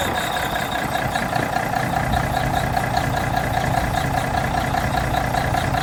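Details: 1985 Mack R Model diesel truck, start after starter replacement: big diesel idles with even, steady beat and some valve clatter, nothing irregular; running fine, starter problem fixed.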